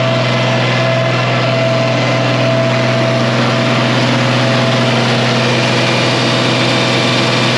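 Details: 1966 IH 1206 Wheatland diesel tractor on dyno after head gasket repair, coolant warm at 160–170°F; full throttle about 75% load; smooth even drone at steady speed, no knocks or misses; normal partial-load running.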